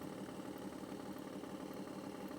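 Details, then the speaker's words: RV blower fan motor won't start until flicked by finger, then steady low droning hum running really slow with no speed pickup; voltage cycles about 12.5 to 13 volts; worn-out, failing motor. "to get it going, you actually got to flip your finger in there and get the fan running. So you hear it's running really slow here."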